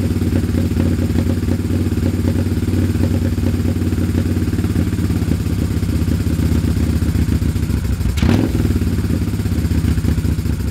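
Uneven, stumbling idle with irregular thuds and dropped beats as one cylinder cuts out; misfire on one side of the twin.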